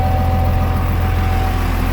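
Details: Cummins 12-valve 5.9 diesel swapped into an ex-Powerstroke Ford F350 OBS, first start after fixing an oil pressure gauge plug, charging at 14.2 V with oil pressure; deep, steady, even idle with no knocks or misses; runs healthy.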